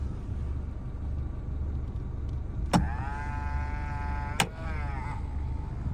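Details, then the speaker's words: 1996 Toyota Starlet Glanza S EP91 power mirror: small motor whines under two seconds and stops, then a brief second run; mirror won't adjust through its full range, cause not yet known. "just go straight back, and really you just got to get in and see, you can't even really comfortably adjust it to how you need to, but I don't know."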